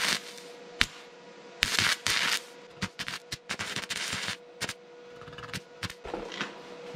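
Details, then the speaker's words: Vevor MIG-250 in stick (electrode) welding at 60 A, rod box rated 60–90 A: short crackling bursts that keep cutting out instead of a steady frying arc; amperage too low for the arc to hold, 90 A worked somewhat better. "ei toimi sellega ka... proovime 95 60 ei tööta üldse.. mõlemaga..."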